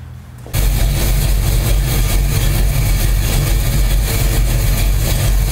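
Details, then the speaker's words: Car idling just after a replacement Summit distributor was installed (old mechanical advance seized), at about 11 degrees base timing: engine catches and settles into a strong, steady low rumble with no knock, miss or squeal; normal idle. "I'll start it up and we'll take a look at the base timing, and then I'll give it some RPMs and we'll see what happens to that timing."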